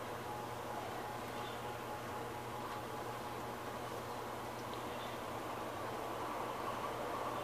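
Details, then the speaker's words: ARGE MAX50C 50 cm pedestal fan (160 W, 127/220 V) starts up very weakly with a low hum; speed rises only slowly and never reaches the fan's maximum, because of a failing run capacitor. "não sei se deram para vocês perceber, mas ele começou a rotação muito fraca. Ela foi aumentando, mas mesmo assim ela não consegue atingir a velocidade máxima que esse ventilador pode fornecer, entendeu?"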